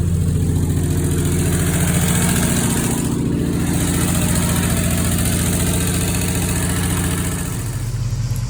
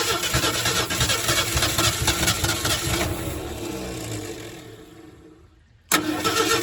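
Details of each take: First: 1968 Ford F100, idle-ready after new carburetor, new fuel pump, new fuel tank and fresh gas, starts with the key: steady even low rumble, smooth firing, no knocks or misses; normal idle. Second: 1968 Ford F100, not run since 2001, spark now at the points: engine fires and runs rough for a few seconds, dies, then catches again on lawnmower fuel poured into the carburetor; runs only on priming fuel.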